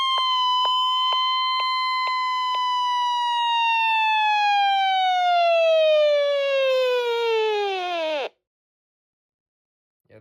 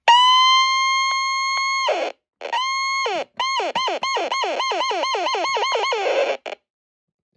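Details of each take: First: Alert test on a NOAA weather radio powered by a borrowed WR120 power cord: loud pulsed high tone near one kilohertz, sliding lower before cutting off sharply; alert siren working normally. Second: Aging NOAA weather radio, model 74109, on alert test: a clean high alert tone cuts out, then returns as choppy, warbling bursts dipping in pitch; distorted alert, faulty with age.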